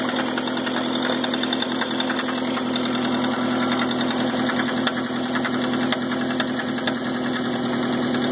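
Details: Subaru EA81 engine at idle, runs well with no missing and smooth idle, oil pressure good per gauge: rapid, uneven knocking tap throughout, about two or three per second; cause unknown.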